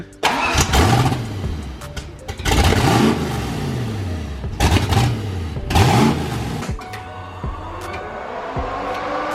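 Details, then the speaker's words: Turbo Foxbody at startup just after fitting an EGR block-off plate, with about 10 psi boost mentioned: catches quickly, sharp clean blips, then a steady idle with audible turbo sound. Normal startup and idle. "I love the fact that you can hear the um the turbo sound like like coming straight up and out so she sounds good she's idling great"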